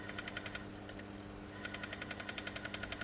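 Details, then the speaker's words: Bose Wave Music System AWRCC5 after reassembly (sold as CD skipping, previous bodged repair), speakers disconnected: sharp crackling pops about four per second over faint hum; owner suspects failed capacitors, not confirmed. "It's not happy, but it's working. Wonder what that sounds like. That'll be them capacitors. That's toast."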